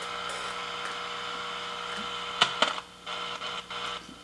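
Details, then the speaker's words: 1949 Zenith 7H921 AM/FM tube radio at 117 V, warmed up: steady hiss with crackle and sharp pops, then the noise drops; a loose capacitor on the volume control, reconnected. "so I was hearing a lot of static almost like silver mic disease kind of sound again"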